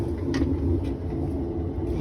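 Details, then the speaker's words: Whirlpool washer tested dry (not connected to water), drum turned by hand: low steady rumble like a small plane. Water leakage is the stated cause. Worn transmission bearings suspected. "al parecer cuando no cuando la giras hace el ruido ese parece una avioneta parece que el problema va a estar en los baleros de la transmisión"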